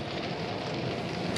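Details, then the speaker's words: Air conditioning on a 2017 Chausson Welcome 718XLB motorhome, started by remote after the fuse spur is switched on: smooth, steady rushing air with an even fan hum, no knocks or rattles; normal start-up. "The system will then start up. As you can hear there, it's starting"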